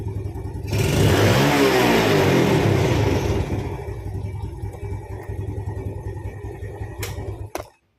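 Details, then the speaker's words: Yamaha Vega ZR after repairing a stuck carburetor slide, initially mistaken for a broken throttle cable: sharp blip, revs fall cleanly back to even idle, then shut-off; throttle returns properly, engine healthy. "Kita nyalakan. Dia langsung balik sendiri ya."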